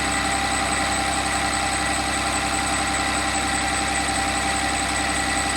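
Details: Cummins 6.7 turbo diesel test engine about 15 seconds after start, switching to HythanolPLUS fuel, drop temperature 149°F, rpm dropping: constant diesel clatter at a settled idle, even and unbroken with no stumbles or knocks; running fine.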